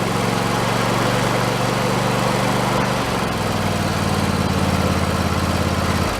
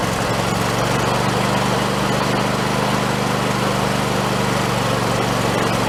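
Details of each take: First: Husqvarna YTH2454 riding mower engine after carburetor rebuild: hunts unevenly, sagging around three and six seconds as if starving for fuel; owner suspects it was running out of gas. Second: Husqvarna YTH2454 riding mower small engine after carburetor rebuild with kit, just started: smooth even hum at steady speed, no misses or knocks, running healthy.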